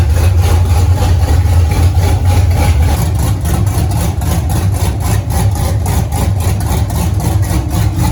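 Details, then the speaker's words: 1983 Ford Mustang, rebuilt 5.3 LS V8 with upgraded cam, first runs, thermostat not yet open, oil pressure 40 at idle; low loping idle with uneven chop about four beats a second, more chop at lower rpm; normal cammed idle. "It's definitely got more chop with less RPM."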